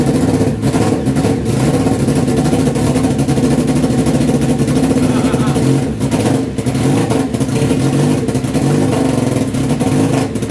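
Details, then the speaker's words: Honda CBR929RR SC44 turbo build, first start attempt with fuel map raised step by step from zero: churns over with ragged sputters, never catches, starting to flood; owner suspects the larger injectors and plans to refit originals; cranks but won't start. "so I've tried a few more times starting to flood it a little bit so I think the injectors"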